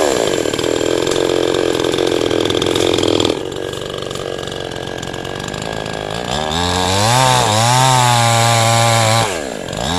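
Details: Cheap 977-baht Shopee "5200"-model two-stroke chainsaw with small chain and bar, cutting wood: high, steady scream dips and recovers as it bites, then revs freely; strong cutting with no power loss.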